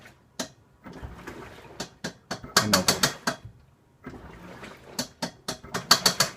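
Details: Washing machine: irregular bursts of sharp mechanical clicks and ratcheting in quick clusters with quiet gaps; abnormal noise from the washer, cause unknown.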